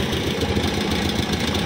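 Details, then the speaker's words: Honda Scoopy 2020+ (SF frame), severe stumbling and won't go: ragged uneven popping, no clean rev rise when throttle opens, worse at full throttle; spark plug cap checked good; misfire and hesitation under throttle. "Nah bisa terdengar ya teman-teman nih ini kita gas nah parah sekali ya ini gas baru sedikit nih kita gaspol nah seperti itu ya teman-teman"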